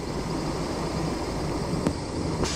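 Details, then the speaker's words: 1979 Ford Pathfinder Quadravan 4x4 after repair work, still due a tune-up with suspected vacuum leaks: a smooth, even low idle rumble with a couple of brief clicks, no knocks or misses, no leaks; sounds good. "Not leaking. Not leaking down there. Not leaking up here. That sounds pretty good. I like it a lot. Sounds real good."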